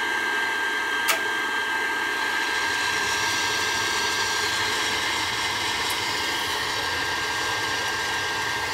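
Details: Old Burnham boiler with conversion burner, its control looking fried, wired to the high limit only: steady, even roar of burner flame and blower with no surging or popping, firing normally.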